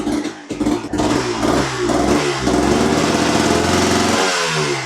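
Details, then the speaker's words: 1991 Honda CRM 250 two-stroke after replacing the balancer shaft and bearings, chasing a noise that scared off buyers: revs up and settles with a crisp, even exhaust note, much quieter, no bottom-end rattle. Normal running after repair. "Yeah, it sounds a lot quieter. Oh, it sounds well different."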